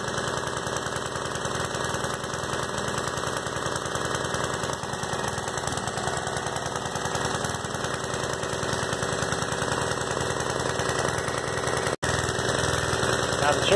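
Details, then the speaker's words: Vintage Homelite generator single-cylinder engine chugging at a steady brisk beat with faint metallic rattle, running fine after cleaning ignition coil, points and condenser to restore spark; kill switch faulty, grounded with pliers to stop. "cool little machine i know he's gonna be happy to see that i got it running"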